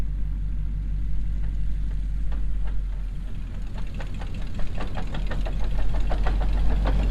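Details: Early Ford coupe whose transmission's second gear was destroyed: uneven clattering knocks over engine rumble, and the clutch may also be damaged, heard spinning. Rough transmission noise.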